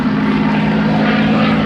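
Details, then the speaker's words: P-51D Mustang V-12 engine in an airshow flyby: steady drone with a clear even whistle near 200 Hz caused by airflow through the radiator scoop under the mid-fuselage, normal for the type. "That whistling sound actually is because of airflow through the radiator scoop."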